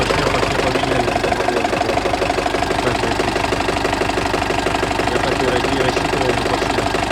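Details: Turbo diesel idling during warm-up, coolant about 60–65 °C, oil pressure about 2.2–2.3 kg (4 cold): even knock about two per second over the clatter; internal engine knock present for about 1000 km, cause not yet found.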